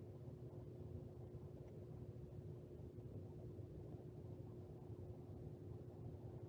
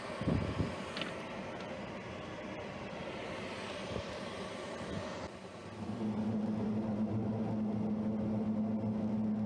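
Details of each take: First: Two Lennox commercial rooftop units: a steady low rumble with a constant hum on top; both inducer motors sound rough and bad, with the cause not pinned down. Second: Lennox commercial rooftop unit 18 (reported not heating) in service test heat mode: steady low hum, even tone, no knocking or scraping; both inducer motors and blower running, no issues found.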